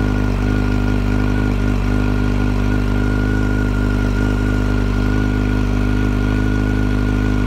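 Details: 2008 Yamaha FZ1 at idle: steady, lumpy idle with a thin, constant high whine riding over it, loudest at the clutch cover and quieter at crank and cam chain areas; possibly a bearing, cause unconfirmed.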